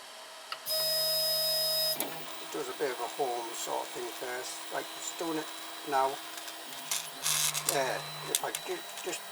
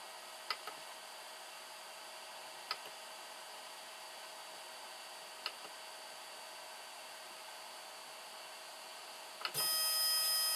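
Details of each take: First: 3D printer X axis jogged by G-code with the belt removed: short whining chirps sweeping in pitch with buzzy vibration, coming from the stepper motor pressing and twisting slightly on its mount, not from the linear bearings as first suspected. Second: 3D-printer/CNC axis running smoothly after swapping the stepper motor: soft steady stepper hum, faint clicks every few seconds, then a louder whine. The noise first blamed on the linear bearings came from the stepper, not the bearings.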